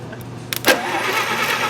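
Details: 1953 Plymouth flathead six from a parts chassis, unknown how long since it last ran, cranked by touching a wire to the starter terminal on 12 V: a sharp click, then a steady starter whir. It spins over freely in the right direction. Normal cranking.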